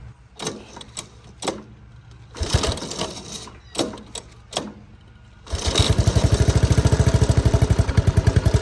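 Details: 1983 Honda ATC 185S single-cylinder, carburetor screw adjusted far out: coughs and dies in short bursts, then catches into quick steady beat; stumbling suggests slightly lean mixture, owner thinks it needs a bit more adjustment out.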